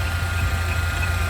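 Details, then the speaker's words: Old Jeep engine at idle, heard through a mechanic's stethoscope on the belt tensioner pulley: steady, deep continuous hum, unlike the normal injector, power steering pump, AC compressor and idler pulley; suspected worn tensioner bearing, to be replaced. "很明显这个杖颈轮里面有一个嗡的异响，这个就特别像是杖颈轮轴承损坏的异响。那么很显然就是这个杖颈轮在持续异响。"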